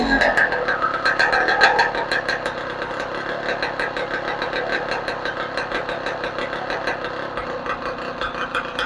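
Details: 2015 Yamaha YZ125 after a rebuild (crank seals, top end, cleaned carburetor), running with no gas tank or muffler: a crisp, even two-stroke idle popping about three times a second with no knocks or rattles. It runs cleanly.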